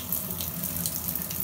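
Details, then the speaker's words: Newly replaced Moen bathtub spout with water flowing from the spout, not diverted to the hand shower: steady, even rush of water with no whistle or whine; the whine only occurred in diverted hand-shower mode. "So if I turned on the water like this, it was fine."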